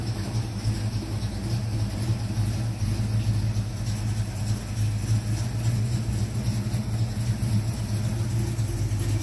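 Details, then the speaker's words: 1970 Mach 1 clone V8 after a Holley 600 carburetor gasket rebuild, idling with an even, steady low rumble, no misses, knocks or hiss; healthy. "all right let's start her up sounds good so"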